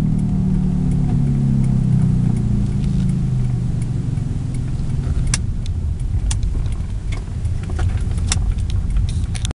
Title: Bad wheel bearing noise?